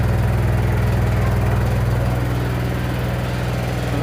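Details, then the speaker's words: Samsung washing machine during spin: heavy rhythmic thumping about four times a second over low motor hum, whole machine shaking hard; noise located at the side. "Olha aí, pessoal, a máquina fazendo barulho, ó. Aí as pessoas não sabe onde tá fazendo um barulho."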